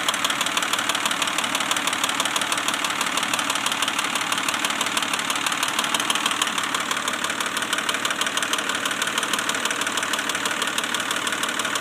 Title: Weird clicking noise? Pajero 1995 DOHC NJ 3.5L V6 rebuilt engine.